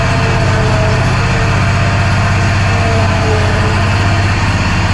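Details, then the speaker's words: Walker Superbee 52 in mower after fixing fuel and ignition issues (air blown in, new spark plug, plug wire seated): steady even low thrum with no misses, surges or knocks; engine running normally. "She's running now. I can't wait to use it."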